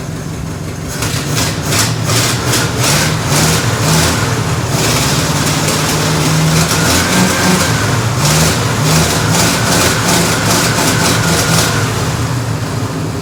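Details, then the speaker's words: Mid-1940s Ford F5 one-ton dump truck, 8BA flathead V8, first start in years after freeing stuck pistons; fires and holds a steady low idle with throttle blips, no valvetrain clatter; running fine, dead accelerator pump, carburetor hand-primed and due for rebuild. "so now that we got the truck to run on its own the carburetor needs to be rebuilt so it's gonna go off to get rebuilt"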